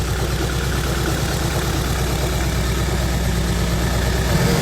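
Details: Freshly built supercharged Honda Civic FN2 on an RB30 block, first start after install: a deep, lumpy idle with an uneven beat about three times a second, not yet on all four cylinders; misfire.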